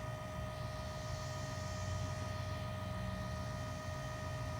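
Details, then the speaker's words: 2016 Nissan Titan XD Cummins diesel after fuel filter change, start button pressed twice without brake to prime: steady electric hum with thin constant whine; fuel priming pump running normally, can run up to 90 seconds. "you can hear the prime pump kick on go down there and just listen to it here you can hear it do not attempt to start the vehicle while it's priming"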